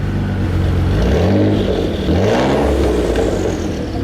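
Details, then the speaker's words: Mitsubishi 3000GT VR4 after first start, earlier noise gone: engine revs up and settles cleanly with a smooth, deep exhaust note and no knocks or rattles; healthy running. "she sound super good all right guys I'm gonna fill this up so you guys got some and you guys can see that she's alive"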